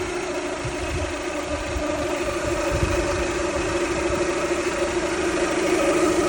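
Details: Toyota Camry 2.2 L idling: a steady mid-pitched whine over the even engine hum. The owner is unsure whether it is the alternator or the water pump; mechanics said it is normal or could not hear it.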